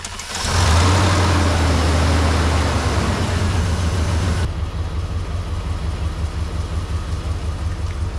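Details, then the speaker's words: Crank and start of a 4.7L V8 WJ Jeep Grand Cherokee (1999-2004) after replacing the starter, which had failed with a single click; battery possibly weak. About four seconds of strong steady cranking, then it catches and settles into even idle: normal start. "She running. So there you have it. You can replace your starter on your 4.7 liter V8 equipped WJ Jeep Grand Cherokee."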